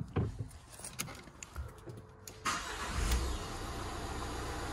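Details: 2016 Renault Kangoo Crew Van diesel, bought as a non-runner: a few clicks, then it cranks, catches at once and settles into a smooth, even idle with no hunting. Normal start and idle.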